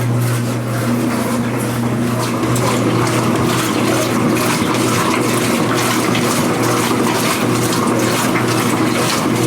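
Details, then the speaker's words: Speed Queen washer after repair of a loud agitation-only rattle, driver reinstalled and underside cleaned, small load running: steady motor hum under rhythmic water swishes, no rattle, normal agitation. "we'll run it small now and see if it makes any noise so it filled up put some things in there here it goes here it goes same Sani microphone no noise"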